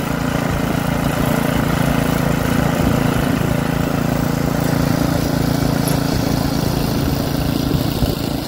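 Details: Troy-Bilt rear-tine rototiller engine after magneto cleaning restored missing spark and carburetor cleaning, during carb adjustment: holds a steady, even putter with no misses or surging, running smoothly as it should.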